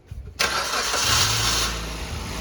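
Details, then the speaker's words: Baleno cold start in winter, no throttle applied: brief starter whir, fires at once into high-RPM cold idle that gradually eases down; no grinding heard, normal cold start. "तो भाई देखो RPM कितने ज्यादा RPM हो रहे हैं। अभी देखो अब धीरे-धीरे अपने आप कम हो जाएंगे।"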